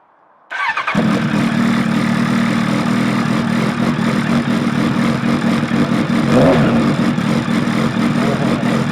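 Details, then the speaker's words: Suzuki Bandit 1200 just fitted with a manual cam chain tensioner, Maxtorque exhaust can with the baffle removed: catches and drones loud, deep and raspy with no muffling; likely to fail noise tests. "I've Got a Feeling with a baffle out that's going to fail Some Noise tests so think the Baff is going to stay in for a while"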